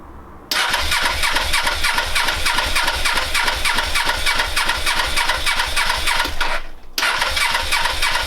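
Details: Suzuki GS500 with carbs and airbox just refitted, on choke in cold weather: brisk starter cranking at about 200 per minute with a pause, almost catching but never running on its own.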